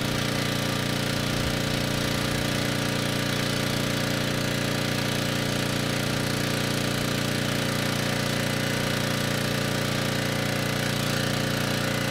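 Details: Ridgid 5700 W generator (RD905712), Yamaha MZ300 engine, dump find with 1500 hours; started first pull on a cold day: even rapid firing beat over a constant hum, perfectly steady; normal running.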